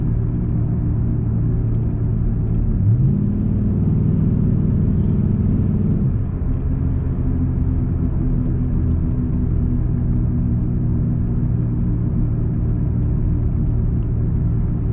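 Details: 2002-2005 Dodge Ram 1500 recorded in the cab, coasting at road speed before front hub replacement: steady low droning hum holding even with no engine load; worn front wheel hub bearings.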